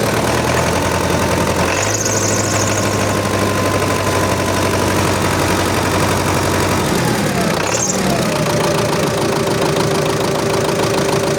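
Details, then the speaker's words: MTZ-82.1 tractor diesel idling right after fuel pump rebuild, hot weather +40°C: thin constant whistle above the rumble, source unclear; owner suspects oil not yet lubricating the new fuel pump; smokes less than before. "Щось свистить, не пойму що. А наверно ще не масло не помазало насос, наверно."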